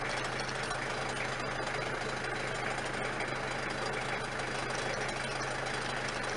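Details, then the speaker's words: Diesel engine after rebuild and wiring repair, warmed up and running a while with no leaks and holding temperature: steady, even diesel clatter at idle, no misses or knocks; normal idle. "Alright, so we've been running now for a while and don't seem to be any leaks. She's keeping to her temperature nicely."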